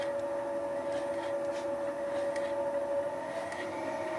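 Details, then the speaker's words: Wohlhaupter UPA5 facing head on a Thiel Duplex 158 mill, final facing pass on a lawn mower plastic bearing housing: steady singing tone with rhythmic clicking from the radial feed mechanism, about 2.5 per second; a clean, normal facing cut. "this is the final pass (the clicking noise is caused by the radial feeding mechanism) it cleaned up the face quite nicely"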